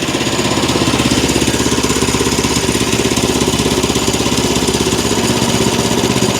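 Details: Small single-cylinder engine on a bandsaw wood mill, bought as a non-runner, now idling steadily and evenly at about 200 pulses a minute with no misses after the carb bowl was refilled, choke on, ignition on; runs cleanly, normal idle.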